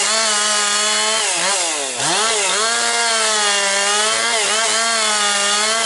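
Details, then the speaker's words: Husqvarna 262XP two-stroke chainsaw after rebuild, breaking in with compression up, cutting low-grade pine firewood; strong steady high buzz holding pitch, dipping briefly under load and recovering cleanly; running healthy. "It's uh running really strong now. Now she's breaking in that uh really picking up power."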